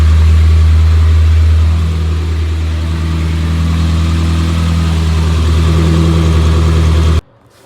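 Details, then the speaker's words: Morris Minor after 12 months in storage, not yet fully warm: smooth, steady low burble at even idle, still seeking a little, no knocks or misses; idling healthily. "That light character. Oh, still seeking a little bit, but that's nice."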